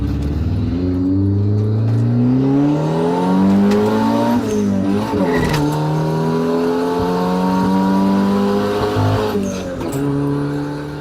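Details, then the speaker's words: Revived abandoned turbo Honda Civic after valve replacement and fuel delivery tuning: strong pull in second gear, engine note climbing smoothly short of redline, tyres briefly breaking loose; turbo engine runs clean and healthy. "not revving it all the way to red line, but even so, in second gear, the tires break loose just a little."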